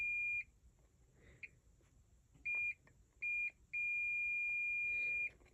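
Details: Klipsch R-10SW subwoofer with constant thumping, board testing: multimeter continuity beeps as probes touch, one long unbroken tone showing shorted transistor/MOSFET pins; parts to be ordered.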